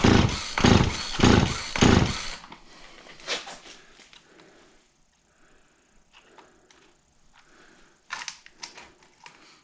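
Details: Auction-bought Husqvarna 36 chainsaw with 16-inch bar, cranked on choke: three quick rasping pulls about half a second apart, with no run. A hard start; spark was later confirmed.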